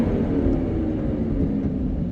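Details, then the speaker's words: 2019 Ford F-550, 6.7 Powerstroke diesel, 56,000 miles, engine about 1500 rpm with fan at 2000 while coasting on the engine brake: loud, steady whooshing roar over the diesel rumble; viscous fan clutch stuck engaged. "Definitely verified the concern. Step one in the diagnostic process. All right, we definitely have a fan clutch sticking."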